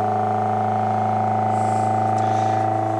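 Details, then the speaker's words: Homemade Bedini SSG motor on a cutting-board base, power battery about 13 V, neon protection circuit fitted, hand-spun to start: steady low hum with a fast even pulsing buzz, no speed change, from the vibrating board; motor running normally. "the The Cutting Board actually vibrates more than anything else does that's what you're [Music] hearing it's beating up pretty"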